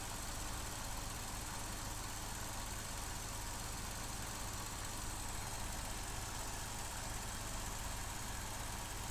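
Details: 2015 Vauxhall Corsa E 1.4 Ecotec, misfire and lack of power, codes P0300 and P0171 lean: faintly uneven low idle pulse with slight wavering under a steady hiss; MAF sensor fault or air leak suspected, not confirmed.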